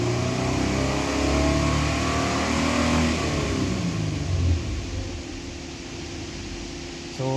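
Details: Nissan Patrol Y62 V6, which had a whistling noise when accelerating and a fan coupling replacement: the engine revs up cleanly and settles back, with a smooth rising and falling tone and no whistle. It sounds healthy.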